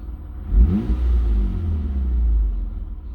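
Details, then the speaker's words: 2003 Mitsubishi Eclipse GTS V6 in neutral, after replacing the MAF sensor for code P0102: deep rev rises smoothly and eases down gradually; before, revs dropped abruptly to idle. "it definitely feels a lot better so far. Before, the RPMs, they would go up and come back down."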